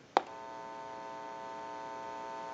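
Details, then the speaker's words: ITT 554 rotary wall telephone after repair, tested with an amplifier: a click as the button is pushed, then a steady low even buzzing hum that holds unchanged; the open amplifier pickup is picking up interference. "the video may be picking that up amplifiers will hum with an open pickup and and they just bring in the noise or interference in the atmosphere"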